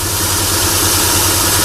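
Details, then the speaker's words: Chrysler Sebring idling after repairing a 3-tooth valve timing jump; slight tick sometimes while warming up, otherwise steady; oil leak from an unclear source. Low smooth pulse with a constant hiss over it, no knocks or misses; healthy. "there's a slight tick in there but that does that sometimes when it's warming up no problem it's nice and steady real static"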